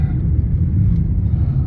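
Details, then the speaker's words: VW Jetta driving after replacing the sway bar end links to cure a rattly front suspension: low steady road rumble, no clunks or rattles over bumps; car no longer noisy, suspension tight. "All set, it works. The car is not noisy."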